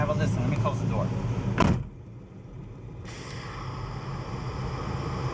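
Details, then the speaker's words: 1974 Chevy Nova idling, heard at the brake booster: a steady airy hiss appears and holds while the brake pedal is pressed, and the air/fuel ratio readings shift. A brake booster vacuum leak is suspected; the booster was then upgraded. "here's a hissing noise here we go again let call the breaks so it's a constant hissing noise so that leads me to believe that that's the brake booster"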